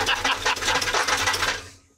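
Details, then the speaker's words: 1985 Chevy K10 pickup with a 350 V8, unstarted for about a year, cold start: quick, even knock keeping time with idle until the engine dies; suspected torque converter or flex plate, flex plate knock. "Hear that knock. It's like torque converter or flex plate or something."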